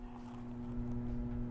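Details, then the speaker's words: Coolman Gorilla PC case fans wired straight to Molex, uncontrolled at full speed, top fan exhausting: constant whooshing airflow with steady hum, loud; noise gets louder with the top glass fitted. "and i have to say it's quite noisy now if you guys can hear it but it's making quite a lot of noise"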